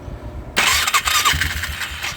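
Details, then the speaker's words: Polaris Magnum 325 ATV with newly installed starter, which could not be rope-started before: strong, steady starter whirr with even turnover pulses, cranks freely and sounds healthy; not yet running, fuel to be added and choke cable broken. "Okay, well it sounds like it cranks just fine."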